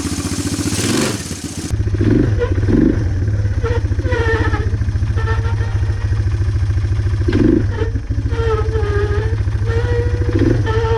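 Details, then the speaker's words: Four-wheeler sat for years, carburetor cleaned, new plug, burning oil: single cylinder thumping at a fast idle with an uneven, stumbling beat and some clatter; runs rough and needs tuning. "as you can tell this thing isn't quite running right so we're gonna end this video here we got it running"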